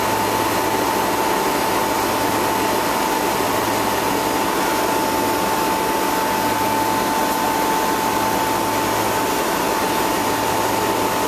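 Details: Newly fitted two-speed (2/4 pole) Bristol compressor at commissioning, after condenser leak repair and new suction line: steady, even hum without surging under constant fan rush; runs normally.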